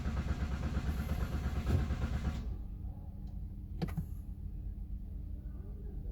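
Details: Toyota Rush with a daily hard-start problem: low, even cranking churn for about two and a half seconds that stops without the engine catching. Cause unknown.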